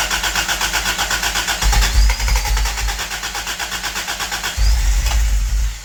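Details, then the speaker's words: Toyota Tercel wagon with 4A-swapped engine, freshly fitted regrind cam and new valve springs, vacuum advance capped: even starter cranking over two tries without catching; owner suspects timing wrong, later suspects the belt. "sure sounds like that timing's wrong every time never fails"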